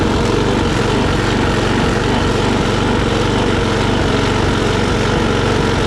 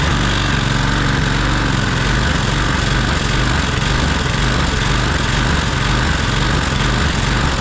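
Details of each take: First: Troy-Bilt push mower, Briggs & Stratton Quantum auto-choke engine, after carburetor cleaning, rpm raised from about 2,800 to 3,100–3,200; fast even drone, surging much reduced; steady running. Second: Troy-Bilt push mower, Briggs & Stratton Quantum auto-choke engine, run about 15 minutes after burning off oil smoke, before carburetor cleaning: runs low and uneven, hunting up and down about twice a second; RPMs too low, engine surging.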